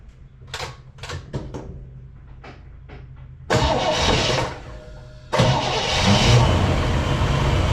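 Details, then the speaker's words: 1959 Chevrolet Bel Air during battery tester cranking test: a few light clicks, brief starter crank, engine catches quickly and settles to steady idle; cranking normal at 9.69 V, older battery fine. "so let me uh start the engine and it starts pretty easy so I don't know if it needs to crank b or not"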